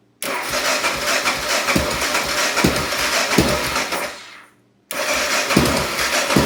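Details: 1988 Honda NX650 motorcycle cranking without starting: starter churns with uneven compression pulses about twice a second, pauses, then cranks again without catching; turns over but won't start.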